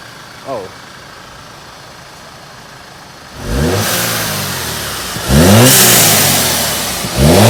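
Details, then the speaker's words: 2013 Audi A4 2.0T after installing an atmospheric diverter valve: quiet idle, then sharp revs rising and falling, each followed by a loud airy whoosh and turbo flutter; normal blow-off on rev. "oh all right so as you see this sounds absolutely amazing when you're driving you can hear a tab and a flutter and from outside the car all you hear is that W valve that beautiful uh atmospheric Val noise that it makes"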